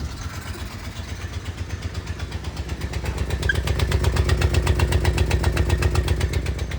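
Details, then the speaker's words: Blown-up mini truck driving with the battery in the passenger seat: a sharp, even tapping of about four per second over the engine note, rising slightly with revs, heavy smoke; suspected exhaust knock, not confirmed. "Sounds like the exhaust has a knock. It's hilarious."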